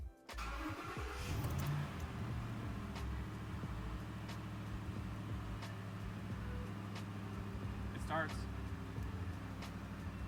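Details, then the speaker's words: Ford Raptor 6.2L after installing a JDM Engineering 700 HP kit (spark plugs, supercharger pulley, belt, tune): cranks briefly, catches and settles into a steady idle noticeably smoother than before; healthy start. "It starts. It does feel like it's idling way smoother than it was."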